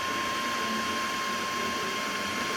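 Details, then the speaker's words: Creality CR-200B 3D printer, new, printing: whisper quiet, with only a soft steady fan hiss and faint high whine, no grinding or clicking; normal printing noise. "it is whisper quiet the only noise you can actually hear are the fans that are running"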